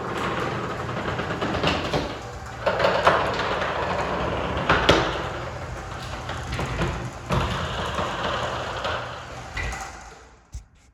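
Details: Wayne Dalton garage door opening and closing: sharp irregular pops and cracks over the door's running rumble as it travels; loud popping, cause unknown.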